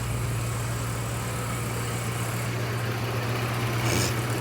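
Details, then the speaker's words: 1984 Corvette with Crossfire Injection, parked two decades, idling about 750–800 rpm after revival: steady low idle rumble with a rushing whoosh as the electric cooling fan switches on; normal cooling fan operation. "Oh, the fan just came on. That's what that was. Yeah, baby. Fan came on. Makes some noise."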